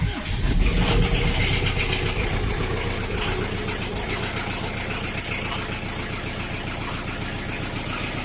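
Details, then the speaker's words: Chrysler Voyager diesel after glow plugs, on poor oil and engine flush: cranks and catches, then a light, fairly even tick about four per second at idle, a hydraulic lifter, much quieter than before. "Честно сказать, это уже не стук почти. Ну, слышно, что стучит гидрокомпенсатор. Но по сравнению, что было, это уже по факту не стук."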